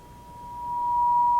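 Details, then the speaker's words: Sony CRF-320 receiver, signal generator clipped to antenna at 10 microvolts: a pure steady tone near 1 kHz rises cleanly out of faint hiss; strong reception, receive section working well. "and that's really strong at 50 microvolts so let's turn that down to say 10 microvolts and see what kind of a signal we have wow still strong at 10 microvolts"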